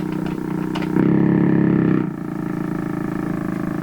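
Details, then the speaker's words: 1940s Canadian Red Cross tube radio, right after four capacitors were replaced, with poor antenna connections: fast, steady low putt-putt under the radio's sound throughout. Motorboating; cause suspected, not confirmed. "maybe I'll take this out in the lake now motorboat my way across it oh my gosh what have I done to it"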